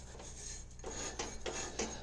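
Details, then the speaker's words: Early-90s Mastercraft (MTD) riding mower with the drive belt being removed: a slow hand-turned pulley gives a dry, gritty crunch on every rotation, and rust is visible on the belt side. Rusty, rough pulley bearing. "yeah you can hear how crunchy that is see the rust on the side of the belt here"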